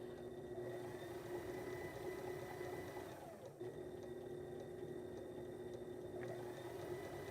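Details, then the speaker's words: Sailrite 110 V Worker Bee Power Pack on an employee's 2,000 W modified sine wave inverter with display: quiet even motor hum, steady pitch, smooth starts and stops, no rough buzzing; runs normally. "But as you would expect, runs the same way."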